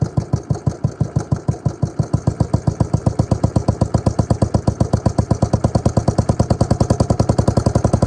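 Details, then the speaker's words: Suzuki LT250E Quadrunner single-cylinder quad after new fuel pump for fuel starvation and idle problems: steady putter, evenly spaced firing pulses about six per second, no stumbles or surging; idles cleanly, fixed. "alrighty that's now fixed"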